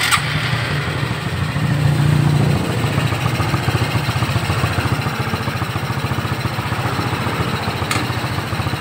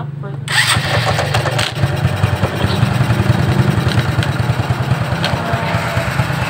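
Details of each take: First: Shogun 125 motorcycle after adding oil, refitting the exhaust and tightening a part that had come loose: the engine settles into a steady, even idle with the earlier heavy rattle gone, quiet even at low revs. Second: Shogun 125 motorcycle, started on electric starter: engine idles with an uneven, random clatter over the low thrum, irregular rather than a steady knock, first suspected as a connecting rod knock; found to be a loose nut rattling inside the clutch cover.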